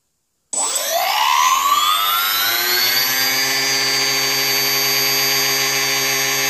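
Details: Small drone motor spooled up without props on the throttle: steady high whine with faint buzzy roughness and noticeable vibration, with a slight warp seen on a part; owner suspects a bearing is not the greatest.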